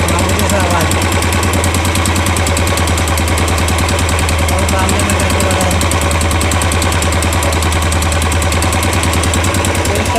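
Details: Royal Enfield 350 BS6, new bike; quick light ticking over the single-cylinder idle at roughly three per second, a top-end tick likely from the tappets; owner questions the service and says oil must stay clean.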